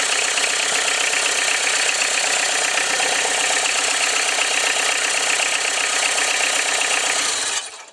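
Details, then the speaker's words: Peugeot XUD9/7 diesel after an injection pump change (Bosch conversion), fully bled, at its first fire-up. Even diesel clatter ticks about four times a second at steady idle until it is switched off; it runs smoothly. "That sounded better. Like a friggin' dream. Beautiful. Ideal. Good box."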